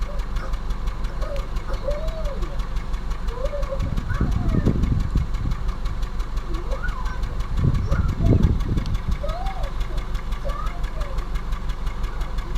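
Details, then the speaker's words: Suzuki Ertiga 2017, manual, suddenly began misfiring on a trip; exhaust connected, deep droning boom "like a ship" with uneven stumbling beat, louder on throttle, engine choking and cabin shaking felt at front seats; cause unknown. "And pag connect ko yung tambucho, rinig ko yung ingay nitong tambucho yung para ba siyang barko ang tunog niya."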